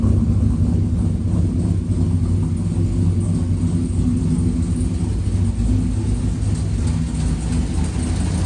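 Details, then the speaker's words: Freshly rebuilt V8 after suspected rod knock, with a stage 3 cam: deep, uneven rumbling idle with a choppy lope at about three beats a second; healthy big-cam idle. "Man, listen to that sloppy stage 3 chop. That has some rumble to it. Holy."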